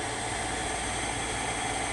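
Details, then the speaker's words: Shibaden (Hitachi) SV-510U half-inch reel-to-reel video tape recorder, capstan belt missing, tape sensor pushed in to simulate tape: steady even hiss and motor hum, no catches or speed wobble; transport runs. "so I push it in the simulator there's a tape pushing it far enough now okay now it's gonna run"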